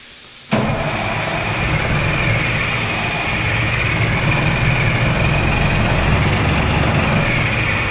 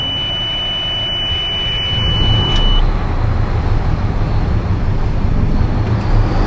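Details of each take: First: Oshkosh M1070 HET 8x8 diesel: steady, fast cranking with no catch or firing, even with ether sprayed in. A crank-no-start. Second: Oshkosh M1070 HET 8x8 diesel after restoring power to the D-deck system: a steady high beep for a few seconds, then a deep, even rumble at a normal idle, with good oil pressure and no leaks.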